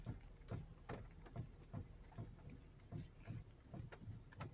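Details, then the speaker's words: 1998/1999 Toyota Sienna on a jack, engine mounts already checked good: dull clunks about once a second as the steering wheel is turned. The owner suspects the steering system or a ball joint, not confirmed. "a lot of times speed steering and suspension are pretty much tied together so kind of hard to troubleshoot you have to jack it up in order to find out what's wrong"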